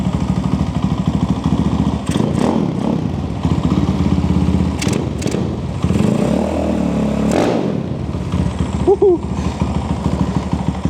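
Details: Zongshen Z190 engine in a Honda C50 motorcycle, stationary blips: loud, raw single-cylinder bark with fast even pulses, steady between blips; engine healthy, exhaust just loud.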